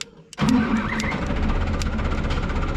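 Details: Tofaş Doğan that ran on petrol but not LPG, after the fault was found and fixed: one quick crank, catches straight away and settles into a steady, even idle; clean, healthy start.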